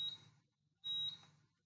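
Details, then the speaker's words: ZP2 fire alarm panel linked to ATS8600 via Modbus PAK: after a reset from the ATS side, high-pitched beeps about a third of a second long repeat roughly once a second until the buzzer is muted. "you should be able to hear the beeping as well so we mute the buzzer"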